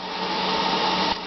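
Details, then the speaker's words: Electric vehicle pack of 60 CALB 180 Ah LiFePO4 cells charging at about 40 A, 204.6 V, 153.5 Ah in after about 4 hours, warm garage: charger's cooling fan whirs steadily with constant tone; normal operation. "It's starting to fluctuate there for the pack voltage, mostly because you hear that the charger is still whirring away, trying to keep things cool."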